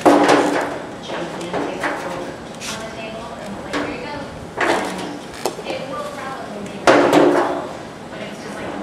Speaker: you hear it dinging that's hammer on Dolly that's what you want trying to slowly raise that M that material up